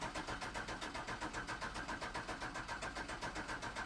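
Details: OBS truck with 5.3 V8 swap and new fuel system, fuel pump triggered by the ECM through a relay: steady starter churn of about four beats a second that never catches. Cranks without firing because the fuel pump was not getting proper power.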